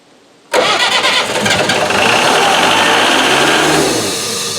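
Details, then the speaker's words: Hydrovane compressor's diesel engine, first start after 18 years, after fitting starting system and a part to injector pump: catches at once, steady clattering run, then winds down; starts and runs well. "No, where did that start after 18 years? That is God's honest truth. That was unbelievable. What a good old motor."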